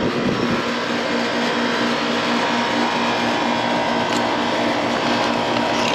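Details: 15-year-old unmaintained outdoor AC condenser unit, loud noise at the unit: steady loud whoosh and hum from the condenser fan, with the fan motor drawing low amps. Worn fan motor bearings suspected; the fan motor is to be replaced after the capacitor is checked.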